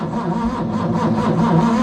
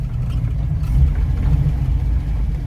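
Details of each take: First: Ford Capri 3.0L V6 stored 20 years, first start attempt with primed fuel and manual choke: sluggish, labored cranking at roughly two turns a second with no firing; battery voltage dropping, not strong enough for the starter. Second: Ford Capri 3.0L V6 race car replica on its first drive after 20+ years stored, pulling away over a bumpy field, recorded from the back seat: smooth low note rising and easing with throttle, no misfires or knocks; good oil pressure and charge, normal running.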